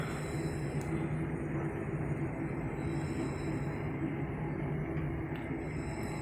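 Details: Johnson Controls T-8000 controller making a faint singing hum with sustained low tones over hiss, not a concern; nearby Spence regulator clicking/ticking, sounding like its stainless diaphragm.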